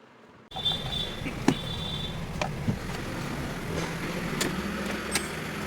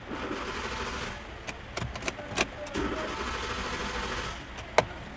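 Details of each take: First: Hyundai i10 with a starting problem, after ECM repair: the engine starts and settles into a steady, even idle with no knocks or misses. It now runs normally. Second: Hyundai i10 with ignition on and cranking: faint steady starter churning that never catches, a no-start traced to a failed engine control module (ECM), later repaired.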